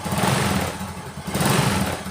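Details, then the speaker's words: Honda Supra X 125 motorcycle that had severe piston tick a month after an engine rebuild. After a piston-pressing fix, it idles with a smooth, steady low putter and no ticking left. "teman-teman di sini itu suaranya halus banget Tem kita ulangi lagi kita Selat nah suaranya itu halus teman-teman ya tidak ada suara ngetek lagi ya"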